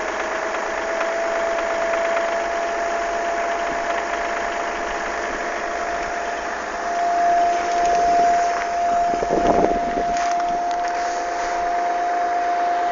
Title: Audi a6 v6 tdi 110kw Strange engine sound